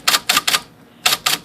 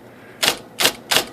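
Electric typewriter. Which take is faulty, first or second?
second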